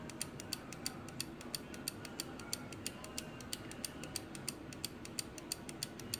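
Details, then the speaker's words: Old wind-up clock under repair: crisp ticking about three per second keeps running after a tap, then falters and stops; the movement stalls intermittently and needs a tap to restart. "and it stops just one little tap and it goes back"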